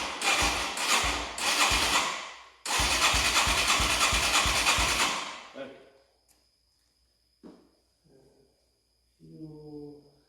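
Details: 1989 Yamaha Moto4 200cc quad after timing chain replacement, with new throttle cable: single cylinder races toward full throttle right after starting, then drops out; high idle not fixed by cable or slide adjustment.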